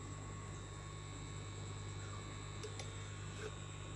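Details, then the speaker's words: Brand-new Kandila Marlin AA-103 aquarium pump (15 W, 2100 L/h, 2 m head), reassembled after teardown: faint steady low hum with no rattle, buzzing or grinding; runs quiet and smooth, still freshly lubricated. "tidak berisik, halus."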